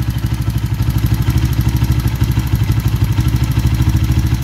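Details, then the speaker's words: Kawasaki KLX 150 idling: loose rhythmic clatter about three times a second that goes quiet when the clutch lever is pulled, from the clutch, not the connecting rod or engine. "Hindi po sa makina yan sa clutch lang po yan Hindi po totoo yung sabi ng iba na connecting rod o yung black y"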